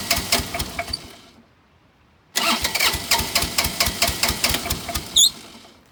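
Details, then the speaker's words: Bobcat 328 mini excavator diesel, sat for months, injectors previously replaced and smoking since: two cranking bursts of about five even compression pulses a second, smoking, compression seems fine; cranks but will not start, fuel shut-off suspected. "Sounds like the fuel shut off. Smoking. It's got to be getting fuel. Yeah. It doesn't sound like it doesn't have compression, so."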